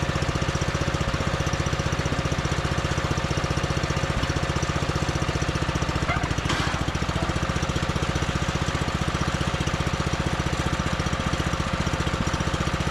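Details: John Deere 110 mower that sat in a garage about 10 years, started after longer cranking once a jumper start failed: steady, even thumping at constant speed, no misses or stumbles; runs cleanly, normal running.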